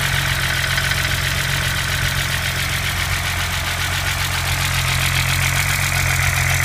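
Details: BMW M20B25 inline-six after intermediate shaft repair: steady, even idle with a smooth low hum, no tapping or knocking. Normal idle.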